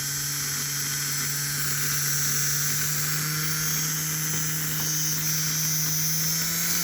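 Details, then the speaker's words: Rebuilt Flyer DC motor (armature polished, some cupping remains) in locomotive #2, throttle rising past 50: steady smooth hum climbing slightly in pitch, no knocks or grinding; healthy motor. "oh listen to that thing when you don't have it vibrating on the table it's just a hums"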